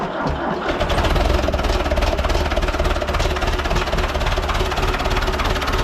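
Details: Ford 6600 diesel tractor, sitting about 8 years, just started after starting-fluid spray bursts while cranking; low on antifreeze so run briefly, some smoke. Deep, even diesel rumble at steady idle, about three to four pulses a second, no knock: normal idle.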